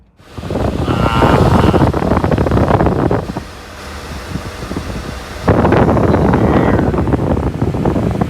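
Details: 1964 Ford Country Squire after replacing the underdash HVAC fan switch and a rusted connector: strong, steady, even rush of air from the dash blower, no rattle or squeal, compressor engaged; fan running properly.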